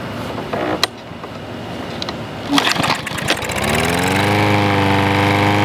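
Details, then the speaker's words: Troy-Bilt push mower after carburetor repair, air filter off, having mowed thick grass: after a few rough pulls it catches and settles into a steady, even drone with no surging or misfire; running well. "So it's running really good right now. I gotta get the air filter back on."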